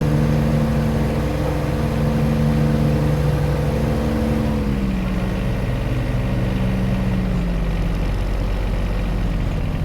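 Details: John Deere 1025R tractor diesel: runs steady, then revs sag and shift pitch twice in ten seconds, hunting instead of holding; surging caused by a clogged main fuel filter under the floorboard.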